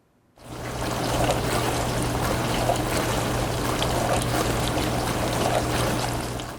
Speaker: The spray arms make a whooshing sound as they spray the dishes. The spinning is driven by the water pressure.